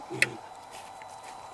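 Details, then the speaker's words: Electric fence energizer for a piglet training pen, just switched on with its gauge settled in green. Sharp single ticks about every second and a half over a quiet background: normal pulsing, wire hot. "if everything is good it will go back to green now you'll hear it so it's in green you hear the ticking"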